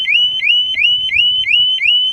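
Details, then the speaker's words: Harley-Davidson Smart Siren 2 on a 2020 Tri Glide, main fuse pulled: tamper-alarm cycle, a shrill rising whoop about three times a second with no engine running, lasting about 28 seconds. "now I'm going to go and put the fuse back in oh hey it's going off again the second round"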